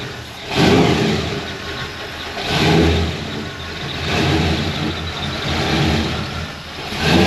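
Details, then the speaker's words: Supercharged (blown) V8 Chevy C10 on its first drive after fixing vacuum leaks, timing issues and a busted starter: loud, deep rumble swelling with throttle, blower whine on top, echoing off buildings, louder than ever before; runs strong and healthy. "That thing is loud. That's my boy. God, that thing's loud. I hope you guys can hear it echoing off all the buildings and stuff."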